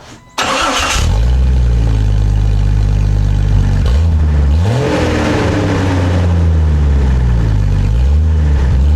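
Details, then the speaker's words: 1999 Jeep Cherokee XJ started with the old cat-back exhaust removed, running open behind the catalytic converter: engine catches into a loud, raw, deep rumble with low booming pulses; open exhaust. "Alright, so now that we got the old exhaust out, one thing we got to do, start it up, see what it sounds like."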